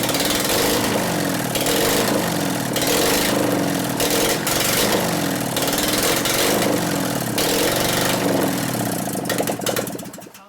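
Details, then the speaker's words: 2001 Gilroy Indian race bike being rebuilt, running with plug wires pushed over: lumpy uneven stumbling beat, one cylinder barely firing; owner suspects a dead cylinder from ignition, wires possibly misrouted. "I bet it's got a dead cylinder from ignition. Something here, right? You can tell it wants to hit."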